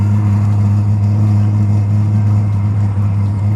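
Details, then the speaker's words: Eberspacher Airtronic D4R diesel heater startup after service; once the fuel pump starts, loud steady drone and firm hum as it lights, normal, fading to a quiet burn as fuel fills the combustion chamber. "Okay, so right away that the pump started working, the unit is starting to burn. Yeah, this sound will go away after there's enough fuel in the burning chamber."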